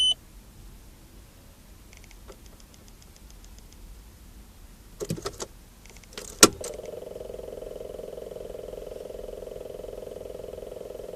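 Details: Mid-pitched electrical buzz behind the dashboard, starting after a few clicks and holding steady; began today when, on starting the car, the gauges briefly stopped working; cause unknown.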